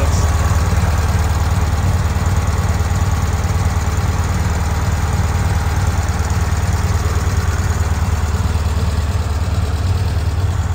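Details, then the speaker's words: Bradley GT, turn-key: deep, even exhaust beat at roughly three pulses a second with no misses or knocks; normal, smooth idle. "go a and fire up it sounds great you can hear the motor has a nice smooth idle"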